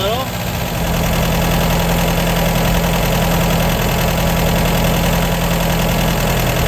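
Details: 1953 MG TD after engine teardown, during timing and SU carburettor tuning with jets set two turns down: a steady, even, low idle; lifting the piston shows the carburettor running too lean.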